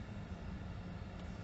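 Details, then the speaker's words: Mercedes SL heater blower motor, previously temperamental via its control switch; with the interior side panel removed, a faint steady low hum as the blower suddenly starts working on its own, traced to a bad/loose connection in the feed wiring. "Started working. Isn't that strange? I must have had a loose connection."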